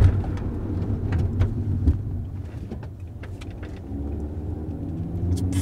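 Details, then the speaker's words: 2009 Chevrolet Cobalt after replacing both front wheel bearing hub assemblies: low even road rumble while braking with no growl, hum or grinding, engine exhaust now audible, no pulling; quiet healthy wheel bearings. "this is what happens if you do the rars right away and you don't get used to the sound like that's quiet holy crap"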